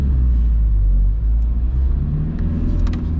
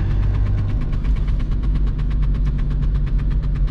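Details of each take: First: VW Golf Mk3 1.9 TDI 90 hp (1Z) diesel pulling away in first gear in rain after fixing a handbrake cable rubbing the rear tire: low steady rumble, no scraping or clunking from the rear. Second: VW Golf Mk3 1.9 TDI 90 hp (1Z) diesel on the road under throttle: a steady flapping tick about nine times a second over the diesel drone, like a card in bike spokes, from the handbrake cable rubbing the rear tyre.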